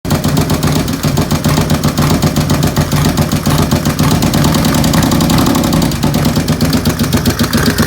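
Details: 95-cubic-inch V-twin with 510 cams at idle: loud, lumpy idle with a quick light tick on each firing pulse, steady and not changing with speed; nasty ticking noise.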